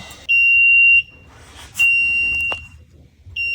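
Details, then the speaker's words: 1964 Ford Galaxie, shifter in reverse while adjusting neutral safety/backup light switch and shift linkage: shrill reverse warning buzzer sounds about a second, cuts out, returns irregularly; intermittent contact suspected, not confirmed. "Watch when I don't know if you can hear the beeping, but I'll tell you right now it's beeping. No, it's not. It's beeping. Not beeping."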